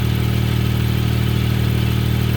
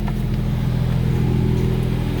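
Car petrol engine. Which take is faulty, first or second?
second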